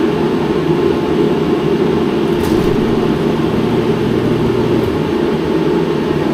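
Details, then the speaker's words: Mr. Heater Contractor Series propane forced-air heater running in a closed garage in winter: a loud, steady roar of fan and burner with a low hum, no surging or popping. Running normally. "It's loud. I mean, obviously, with things like this, with forced air units, it's going to be louder."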